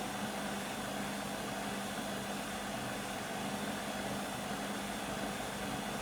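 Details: Beko WM5100W 5kg street-found washing machine, plumbed in, rinse/spin test with rags: a steady loud roar with a constant low hum through the spin, no knocking or change; overly noisy spin, cause unclear.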